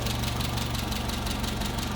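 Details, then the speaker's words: 1959 Hillman Husky sedan delivery, 1,390 cc inline four, 12-volt system, heard at the open engine bay: steady, even purring idle with smooth low beat, no knocks or misses; normal idle. "Purring right along again. 1,390 cc's inline four cylinder."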